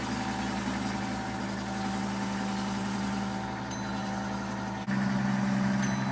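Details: Rebuilt 90-year-old Gilbarco Model 80 (GMB 80) gas pump running and pumping fuel: smooth, steady motor hum with an even low tone, no knocks or grinding; fully operational.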